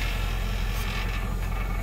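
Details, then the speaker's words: Nissan Titan at idle: steady rumble with a buzzy metallic rattle from the loose skid plate under the fuel tank, which changes when touched. Fix is bending the plate away so it stops contacting. "we definitely rattling right there so i'm gonna have to bend that down so quit rattling that's annoying"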